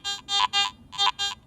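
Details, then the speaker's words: Garrett AT Max International metal detector in all metal mode with iron audio on, coil swept over a nail: two sweeps each give a low-medium-low three-tone warble; discriminated iron target response. "it has a distinctive low medium low response that is unmistakably a discriminated iron Target"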